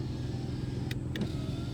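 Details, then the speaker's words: 2004 Nissan Xterra SE 4x4, 3.3L V6, power window cycled up and down: smooth, even motor whine with no grinding, clicking or slowing; window motor and regulator working normally. "Power window. All right, no problem. Up, down. No problem there."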